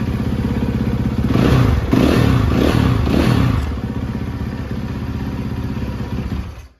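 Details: Rebuilt 2013 Yamaha YZ450F with a replacement head and a Rekluse clutch fitted, restarted in neutral. Steady idle picks up cleanly on a few quick blips and settles back evenly: a healthy engine.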